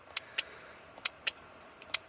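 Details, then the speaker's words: Datsun 240Z with RB25 swap, key out, 30 A main fuse in: ignition relay gives crisp paired clicks repeating about every 0.9 s as voltage cycles from about 2 V to over 11 V; relay cycling with key off, electrical leak. "going over and over and over what's that look like on the voltmeter that's what it looks like on the voltmeter so I see it's cycling all the way up to 11 plus and then back down to two something"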